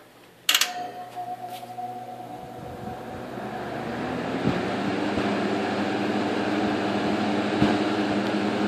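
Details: 1958 General Electric twin window/box fan, rescued from trash and restored: click at switch-on, motor hum rises to even whoosh on high; running smoothly, winding hum noted as normal for these motors.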